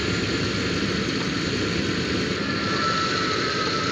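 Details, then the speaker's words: Jeep Grand Cherokee ZJ, engine idling during AC recharge from a can: steady idle with a faint thin whine as the previously inactive compressor clutch engages; AC compressor running normally. "you see here this is the air compressor AC compressor and this is the clutch you hear it it's like and this inside here will move so really good"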